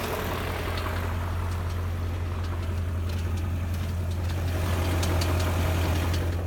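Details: 2001 BMW E39 M5 V8 at 164,220 miles, idling: dull, fairly regular bottom-end knock under the rumble, sharpening toward the end; owner suspects connecting rod knock.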